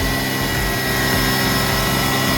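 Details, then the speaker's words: 2006 Hyundai Tucson just jump-started with a booster after alternator replacement, battery fully dead, runs steady and fast with an even drone and no hunting; idle very high, cause unknown. "As you can hear, we got noise. And what's going on? There we go. I'm going to let it run for a good 20 minutes. And uh yeah, that's it. Again, the battery is fully dead. There's a very high idle for some reason, but I'm going to take this off."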